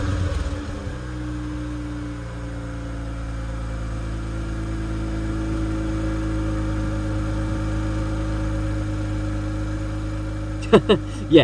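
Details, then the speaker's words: Mazda RX-8, nearly stock with a replica cat-back exhaust, five years ago: a loud, droning idle with a raw, uneven rasp; the startup already showed signs of severe engine failure. Failing rotary engine. "I used to think that sounded good. I I think I might have had a hearing problem at the time cuz looking back at it now, one, the startup was already showing signs of really bad engine failure and it sounded awful."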